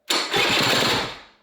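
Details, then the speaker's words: Honda Vision moped fitted with a race-tuned 125cc two-stroke AliExpress engine, vacuum-fed fuel tap, first start: owner sucks on the vacuum pipe to feed fuel to the carb; loud, sharp bark fires about a second then dies, as if fuel-starved; hard starting. "Yeah, I can nurse it into life by sucking on this pipe."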